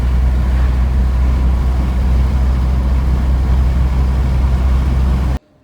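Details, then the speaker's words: 1986 Porsche 944 Turbo on its first test drive after alignment and oil change: deep even engine drone with road rumble, no knocks, rattles or whine; running beautifully. "all right guys this car is now running beautifully"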